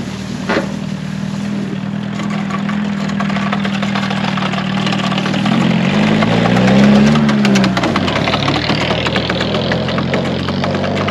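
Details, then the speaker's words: 1979 VW Mk1 Rabbit diesel, revived after being buried in the woods, driven with the floor and frame collapsing: steady diesel clatter pulling evenly, revs rising and falling smoothly, no misses or knocks; runs well with good power. "but dang does it actually run pretty good i mean it no joke it runs better than the rabbit pickup truck did when we first got it going"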